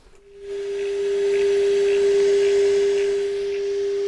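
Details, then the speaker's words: Fisher 800B tuner on AM with signal strength turned down: steady mid-pitched test tone with static hiss as the signal starts breaking up; bench switch-mode power supply also causes chirping. "you see how it starts getting a little bit wavy the amplitude drops you start seeing that kind of noise on there that tells me that you know that's where the signal is starting to break up and if you listen you'll hear static now a little bit still not too bad though right"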